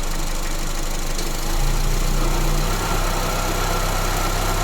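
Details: Honda Airwave idling, shifted into reverse: a low steady drone rises over the engine, humming CVT.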